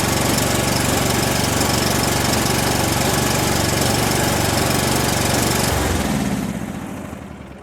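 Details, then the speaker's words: Mid-1990s Cub Cadet 1641 with Briggs Vanguard engine, sat three years, no crankcase oil, suspected bad electrical connections: steady rapid chugging for about six seconds, then cuts out and fades; won't keep running, multiple problems suspected. "It's a runner, kind of. Fighting multiple problems at once, I think."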